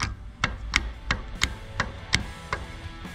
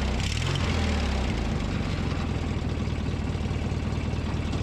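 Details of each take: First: Old starter from a Briggs & Stratton 19.5 hp opposed-twin lawn mower engine, gear rocked by hand: sharp metallic clicks about three a second from excessive bearing play; Bendix gear lost flywheel contact and shredded its teeth. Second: Briggs & Stratton 19.5 hp opposed-twin mower engine after starter replacement, cold start at 34°F: steady putter, revs ease up then hold an even idle before shutdown; running normally.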